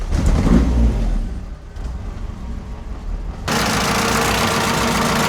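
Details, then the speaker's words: Honda CRX after fuel pressure regulator diaphragm replacement, pressure set around 50 PSI, cold before warm-up: rev blip settles to steady, even idle with no stumbling; idling properly for the first time since bought. "This thing is idling finally for the first time basically since I got it. So, this is great news."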